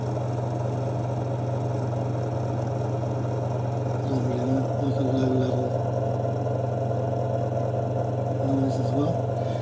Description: Victron multiplus ii 12/3000 inverter noise under load with fan running